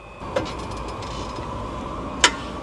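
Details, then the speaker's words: Tesla under two years old, over 50,000 km, owner reports brake noise: two sharp hard clunks about two seconds apart whenever brakes applied while rocking forward and back, heard at wheel; cause not yet found. "好响啊！听到没有？车辆前后动的时候，只要踩刹就咔咔响啊！"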